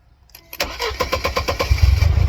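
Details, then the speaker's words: 1999 Mercedes-Benz C230 Kompressor (W202), flashing check engine light, restarted with all sensors plugged back in: cranks, catches, then runs lumpy with a surging low beat; idle won't settle despite throttle response; rough unstable idle, cause unknown. "Have throttle response back. The engine's still having a very hard time."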